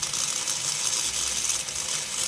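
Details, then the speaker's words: Toy train locomotive (474 Rocket) after cleaning the front trucks and resetting brushes: high, gritty, wavering whir in forward, rear truck running faster than front; reverse seems fine, brushes very hot, binding suspected, cause not found. "looks like the back one's going faster than the front one something doesn't sound right either"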